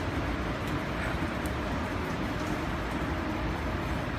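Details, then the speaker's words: Geil gas kiln with the pilot lit and the burner bar running: a steady, even roar of gas burners with a low rumble and no popping or sputtering. The four burners on this side and the carryover bar are lit, so operation is normal. "But under here, you can see the 4 burners on this side. You can see the carryover bar here is lit, and it's lit all t"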